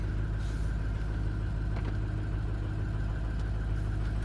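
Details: 2005 Ford Excursion diesel during a turbo and injector diagnostic, just after starting: steady low rumble with an even idle beat, no knocks or misses. A cam sensor code set at startup.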